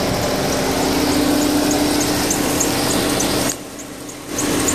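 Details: 2008 VW Touran 1.4 TSI Sport (170bhp): thin high-pitched squeak repeating several times a second in sync with engine revolutions over a steady drone; owner also hears a squeak at gear changes under acceleration; cause unknown.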